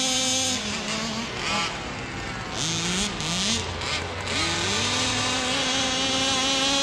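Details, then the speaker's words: Neglected 1/5 scale Rovan Baja 5b RC car with a two-stroke engine, being revived. High buzzy revs climb and drop in quick throttle blips, smooth and crisp with no misfire. The idle is called perfect; it runs healthy. "A little more traction on tires, but this thing running good. Sounds good. The idle, perfect."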